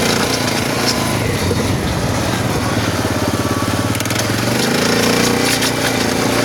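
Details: SF Moto 500 motorcycle engine running: uneven, clattery knocking under a gritty grinding noise; internal engine knock and grinding, cause not identified.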